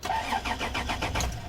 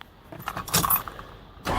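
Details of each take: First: Vehicle with suspected lazy battery, cranked before jumping with a lithium jump pack; sluggish, even cranking about five or six beats a second, slightly labored, like a tired battery dragging the starter; cause suspected, not confirmed. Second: Old diesel van left sitting, cold, battery at 12.3 V, started with a lithium jump pack in engine start mode: brief key rattle then brisk, even cranking about three pulses a second, much faster than before; normal fast cranking.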